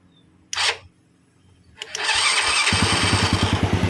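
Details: Honda Grand that had electric-start hard starting (starter spun but engine wouldn't fire, kick-started easily), after replacing weak CDI: starter whirs briefly, engine fires and settles into steady even single-cylinder idle; normal start.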